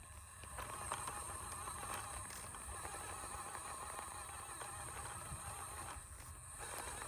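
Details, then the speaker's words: Newly built SCX24 Basecamp RC crawler on its first run over rocks: thin high whine under fast, busy ticking, rising and falling with throttle; the transmission is loud with a little clicking, location not yet found. "it's loud that transmission's loud there's a little bit of a clicking noise I got to figure where that's at"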